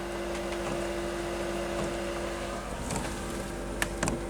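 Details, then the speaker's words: Chinese diesel air heater for camper van, fuel line primed, at startup as glow plug reaches ignition temperature: soft even clicks about once a second over steady fan hum, dosing pump feeding fuel, no air in line; normal. "It's clicking. so it's pumping fuel. There's no air in the line, so it should get a nice clean start, a nice consistent burn."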